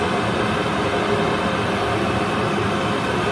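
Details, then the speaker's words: Worcester Greenstar 38 CDI gas boiler at annual warranty service, purge while checking the fan's negative pull with the analyser as a gauge: constant rushing fan roar with faint steady hum, no surging or scraping; reading okay, normal fan operation. "what we're doing now we're just being checking the negative pull from the fan to attack our tube"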